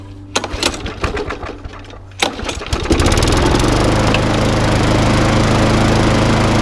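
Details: Briggs and Stratton lawnmower after repair of bad fuel in the tank (previously failed to start and ran very rough): pull-start rattles, engine catches and settles into a steady, even buzz with no stumbling; running smoothly.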